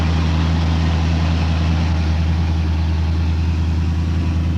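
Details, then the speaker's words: 1970 Donohue Javelin, V8, bone stock and freshly tuned with correct components: deep, loud, steady idle with even firing and no skip; loud side pipes with four chambered mufflers. "uh the engine runs very smoothly doesn't have a skip in it it's been freshly tuned up with all the correct components"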